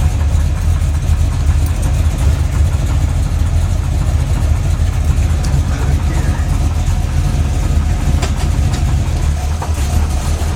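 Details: Freshly built SBC 350 with new long block and reused parts: aluminum 64cc heads, .500/.510 lift, 10:1 flat-top pistons, Edelbrock intake and 600cfm carb, likely out of tune, at idle. Dull irregular knock in the V8 rumble persists with each plug wire pulled; owner suspects piston slap or flexplate.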